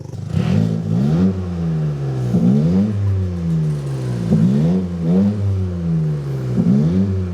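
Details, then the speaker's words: Freshly built Toyota GR Corolla no longer on D-Works injectors: clean, even rev sweeps with no stumble or popping; misfire count 0, D-Works injectors confirmed as the misfire cause. "Revving up the car, dude? 0 misfires. Are you freaking kidding me right now, dude? It was the D-Works injectors the entire time."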